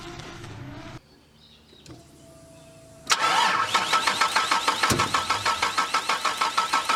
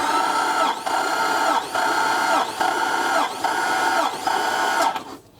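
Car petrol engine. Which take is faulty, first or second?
first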